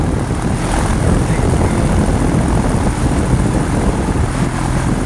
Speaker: So we good to go. Fan running, switch on.